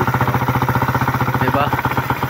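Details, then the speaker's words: Suzuki Raider single-cylinder idling after oil mixed to thicken its viscosity and timing chain tensioner adjusted; earlier head tapping now gone. Even beat, no tapping from head; remedy successful, normal idle. "wala ng lagatak. So successful yung remedy natin."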